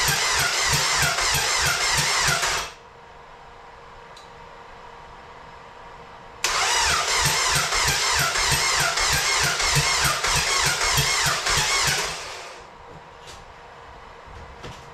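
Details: Carbon NSRT4 turbo engine after clutch master cylinder replacement and battery relocation to trunk, fuel relay pulled and coil unplugged to prevent starting, cranked to push oil through turbo: two bursts of steady, even starter cranking, about three to four beats a second, no firing; healthy cranking.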